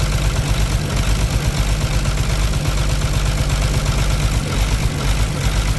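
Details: Caterpillar C13 diesel idling with the valve cover off, injectors cut out one by one to find the dead one. Deep, slightly uneven chug, about two pulses a second, as if one cylinder isn't pulling; heavy smoke. Misfire cause suspected, not confirmed.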